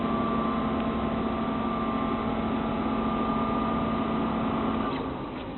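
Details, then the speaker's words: Mid-2003 1.6GHz Power Mac G5 not booting, no video, no keyboard response, rare startup chime: fans slowly ramp up to a constant high airy whine holding loud before dying away; fans running loud. "the fans are starting to sort of slowly pick up pick up speed uh um and then that will just get louder and louder and louder and louder"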